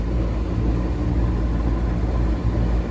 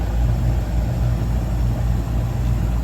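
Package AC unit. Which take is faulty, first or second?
first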